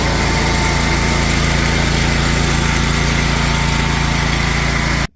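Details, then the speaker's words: DuroMax XP23HPE 713cc engine after new exhaust muffler installed, cold start with choke on and clutch down: steady even idle, smooth low exhaust note, no knocks or misses, sounding better than before; normal cold start and idle. "I think that sounds way better."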